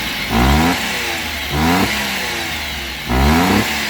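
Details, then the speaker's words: Daihatsu Hijet, restarted after sudden stalling while driving: three quick clean blips, revs climb smoothly and drop straight back to steady idle, no misses or knocks, no check light on dash; engine sounds healthy. "माशा्लाह से ये accelerator भी बहुत प्यारा ले रही है और metre के अंदर भी मैंने देखा है कि इसके अंदर कोई चेक लाइट वगैरह इसके अंदर नहीं आ रही।"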